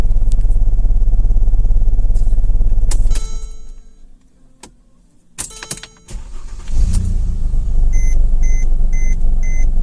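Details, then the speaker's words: 2010 Mercedes-Benz GLK 350 3.5 V6, towed-in engine with P0017 bank 1 exhaust cam code: lumpy idle stumbling about three times a second, still shaking after restart; misfires on cylinders 1, 2, 3, bank one dead. "So after running it for like a minute and a half, it set misfire codes on cylinders 1, 2, and 3, as well as the 1200 code, the P0017, for constant adjustment of exhaust camsh"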